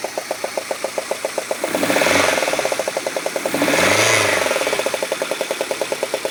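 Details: Peugeot 106 GTI, head done 3 months earlier with new plugs, runs fine without heating or hesitation; sharp regular tick about four per second over idle, holding through revs, worse after rocker covers refitted; cause found: 4-month-old (5000 km) failed spark plug.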